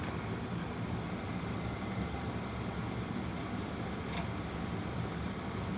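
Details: Home furnace after draft inducer motor replacement with new gasket: smooth, steady low hum with no rattle, scrape or bearing growl, much quieter than the old inducer; normal run before ignition.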